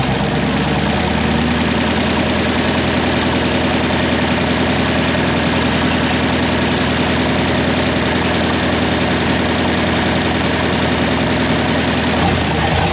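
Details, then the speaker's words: 1961 Buick LeSabre Estate Wagon with 364 Nailhead V8, first running in about three decades, carburetor float not sticking: even, steady idle with a smooth low rumble and no stumble, miss or hunting; running properly. "That float wasn't sticking. That sounds pretty legit."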